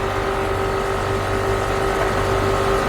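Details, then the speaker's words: 2011 Mercedes GL450 after repair of leaking air spring, passenger side rising to normal ride height: steady mid-pitched electric hum from air suspension compressor as vehicle lifts; compressor running normally. "I don't know if you guys will be able to hear it but I can hear the air system suspension pump [Applause] running very [Applause]"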